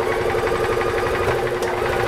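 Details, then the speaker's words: Gas EZGO TXT golf cart (1996 or 1999), after the starter generator belt was tightened: small single-cylinder engine runs evenly at a steady rhythm. The clanging is gone; normal running. "Oh, did you notice the clanging went away?"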